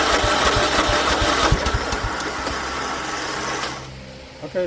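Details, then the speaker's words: John Deere L110 automatic mower after carburetor swap, jumper pack on the starter and seat sensor jumped: catches and settles into an even rapid chug of about three beats a second, then throttles down; normal running. "fired up. So, that's the correct way to jump"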